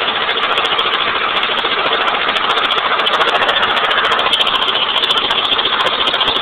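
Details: 1989 Honda Accord with blown engine that died on the road; tinny idle with sharp regular knock about three to four a second hammering through; engine knocking at idle.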